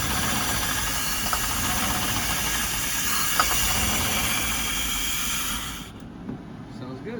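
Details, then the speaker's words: 1999 Chevrolet P30 5.7L CSFI V8 that cranks but won't start: it catches on pulsed starting fluid and runs raggedly for about six seconds, then dies; no fuel pressure at the pump. "Has no fuel pressure. So there you go. You saw what happened."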